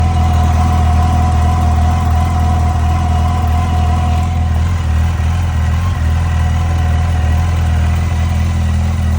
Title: Yamaha FJR 1300 ticking sound #yamahafjr1300 motorcycle ￼